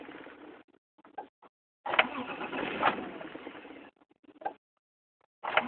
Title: Wont start